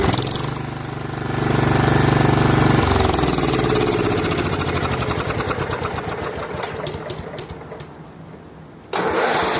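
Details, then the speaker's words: Snapper SR1433 rear-engine rider mower, sat 8 years, after carburetor rebuild: even thumping about four beats a second, settling smoothly; normal idle, quiet and smooth. "It sounds good, runs good, nice and quiet, smooth. It's going to be a nice machine."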